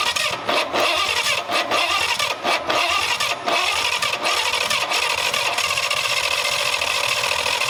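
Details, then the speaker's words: Abandoned Cadillac 331 V8 after improving the ground: coughs in ragged, uneven bursts with short dropouts, then catches into a rough, unsteady run, a sputtering start; debris, corn pieces and a fireball shoot out the exhaust, rodents suspected inside. "all right well look at all the crap that came out i got a piece of corn oh jesus there's a couple pieces"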